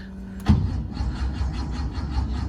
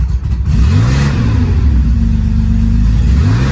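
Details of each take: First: 50-year-old air-cooled Porsche 911, unused for about six months, with only a charged battery and some throttle: starter turns the engine over in a low, even chug but it never fires. Cranks but won't start. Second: 50-year-old air-cooled Porsche 911 flat-six revived after sitting: catches and revs up twice, pitch climbing and falling back to a steady idle between blips; running normally again.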